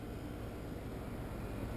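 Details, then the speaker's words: Brand-new American Standard Platinum 20 SEER two-compressor heat pump, replacing a 12-year-old unit, running after startup with the fan moving; soft, steady low hum and fan whoosh, no rattles or buzzing; quietest in the line, normal. "if you have a homeowner out there who really concerns or who is really concerned about noise this is uh this is the quietest heat pump in our line again it's because of the two compressors"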